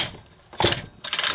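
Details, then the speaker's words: McCulloch Pro Mac 10-10S chainsaw with new starter rope and homemade pin and metal pulley: two quick rope pulls, ratcheting whirr, each slowing firmly against the piston; good compression. Drive side sounds loud, possible clutch issue. "we go that's some good sounding compression"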